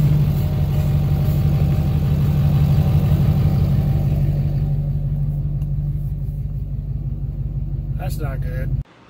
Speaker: after doing a little investigating into what that sound is I think I'm hoping anyway that I got it figured out underneath here on my drive shaft